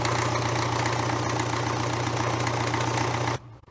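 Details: 1970s Cat D330C four-cylinder diesel in a 90 kW genset, run after sitting 10+ years. It gives a steady, even drone with a firm low thrum and no knocks or misses; a small coolant leak follows.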